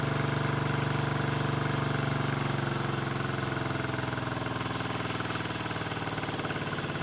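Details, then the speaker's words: 1974 Honda CB350F four revived after 20+ years sitting: lumpy, hollow, limping idle instead of a smooth four-cylinder hum. Only cylinders 2 and 4 fire; the owner suspects fuel rather than ignition but is unsure. "they're running on two cylinders okay I'm running it's weird it's weird I'm running on four and two I'm only running on cylinders four and two and one and three are not firing"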